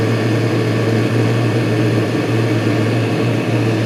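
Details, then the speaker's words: Chinese 5–7 kW 12V/24V diesel air and water heater just started: glow plug off, internal pump on, drawing 5 amps at 11 volts, housing 168 degrees after 5 minutes, warm water flowing. Steady even hum with a constant fan whir, no surging or rattles; normal running. "Okay, now it's up and running. I'm going to turn on the little pump that's in here."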